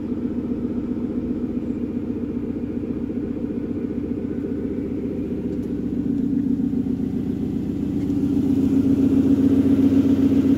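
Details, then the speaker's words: Second-generation Aston Martin Vanquish, cold start: even regular firing at steady idle, revs creeping up slightly, no ticking; sounds normal when cold, ticking only appears once warmed up. "and everything when you start from cold was as you'd expect engine sounds normal everything behaves no concerns"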